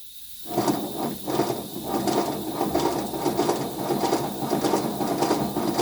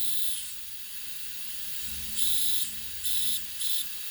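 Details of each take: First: Simplex under restoration, air-driven engine on 30 PSI compressed air, not yet lubricated: dry irregular chuffing and clicking about ninety beats a minute; runs, but leaks remain and blowdown valves need replacing. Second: Simplex restoration, first run on regulated compressed air via an oiler: sharp high hiss in short bursts over a faint hum from inside; air leak, owner also notes air escaping near the blow-down valve.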